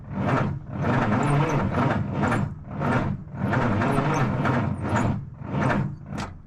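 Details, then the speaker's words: 1977 Peterbilt 359 diesel truck sitting about 20 years, first start attempt on starting fluid: slow uneven cranking, about a hundred surges a minute, with heavy low thuds; unexplained clunk while cranking, possibly hydraulicking on too much starting fluid. "I don't know what that clunking is, but you don't want too much starting fluid, otherwise they hydraulic on starting fluid and don't want to start."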